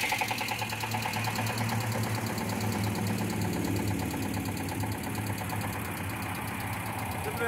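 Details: Renault 9 engine idling with a light, irregular tapping over the low running note, about two to three a second; an engine knock, source unconfirmed.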